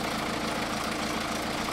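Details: 2009 MINI Cooper D R56 PSA diesel, 136,000 miles, oil seen at cams: steady idle with light quick top-end tapping; owner presumes cams worn from lack of oil, hopes cleaning oil lines saves engine.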